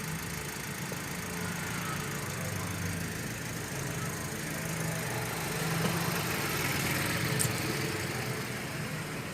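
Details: Daihatsu Sigra after removing and refitting the alternator (complaint was heavy steering and the battery light on), charging 14.9 V with the battery light now off: steady, even idle hum with no knocks, whines or misses; normal idle.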